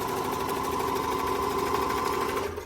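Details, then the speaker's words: Bernette B65 sewing machine after cleaning and lubricating a dry, noisy bobbin winder clutch: fast, even whirring hum with regular stitch ticks, stopping cleanly; normal stitching. "I want to show you listen to this nice so if I Engage The Bobby Winder now perfect ni stitching now when I engage it again the machine will start"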